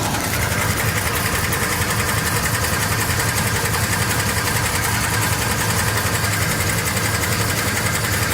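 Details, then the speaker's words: 1956 Chevy small-block V8 at idle, after previously running out of oil: steady loose knock through the engine noise, heard after restart, not while driving; owner suspects rod knock/bottom end failing, unconfirmed. "So that started yesterday after I got home and shut the car off, turned it back on. It was just making this noise. I didn't hear it when I was driving. Sounds like the bottom end's going out to me."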